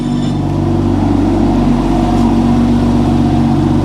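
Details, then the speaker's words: Manual BMW M2 salvage-auction car, about 33,000-38,000 miles, around 5°C day, not yet warmed up. Strong, even engine drone with a clean steady note and no knocks, ticks or rattles: normal, healthy revving. "Right, you want to hear this thing? So it sounds good."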